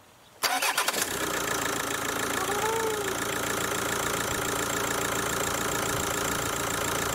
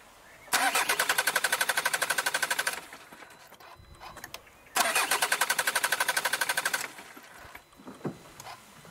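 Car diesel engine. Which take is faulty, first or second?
first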